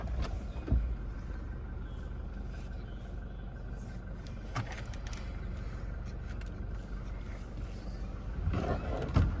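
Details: Toyota Innova Crysta BS6 diesel, about one year old: low, even diesel clatter at idle with no heavy knocks or misses, just usual injector rattle; sounds like a healthy diesel.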